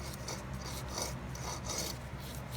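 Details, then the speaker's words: 2008 Ford Crown Victoria P71 AC compressor giving a rough, rasping grind in slow surges, internal wear, compressor bad and to be replaced along with condenser and accumulator. "you can hear it hear it grinding it means it's bad of course i'm gonna take that off replace that"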